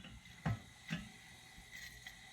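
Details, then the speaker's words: Coleman 500 stove during warm-up after lighting: soft steady hiss broken by sharp irregular pops as liquid fuel still spits through before the generator tube heats and vaporizes the fuel. "Hear that spitting? We're still getting some liquid fuel through, but it's heating up that tube, which is giving us that good flow of gases, vapors. We want to burn vapors, not liquid fuel."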